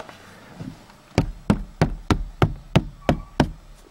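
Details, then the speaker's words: Dacia Logan plastic B-pillar trim between the doors, sound-insulated with foam, knocked by hand: eight firm muffled thuds about three a second with no buzz or rattle; trim sits solid and well damped. "Iar acest capac care dacă l atingi mișcă are în continuare mobilitate dar nu mai face gălăgie"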